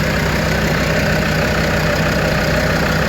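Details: Land Rover Defender 130 TD5 diesel just started after new oil filter fitted, checking for leaks: steady even idle, smooth low thrum, no knocks, misses or rattles; healthy.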